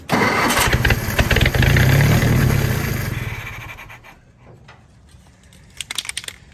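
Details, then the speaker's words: Willys-powered Army skid generator, primed, choke closed, air cleaner on: long steady cranking about three and a half beats a second, occasional catches that never take; won't fire, owner suspects gummed-up carburetor. "don't tease me like that well we may just have a gummed up carburetor let's see well i see fuel or is that my wd-40 she's trying"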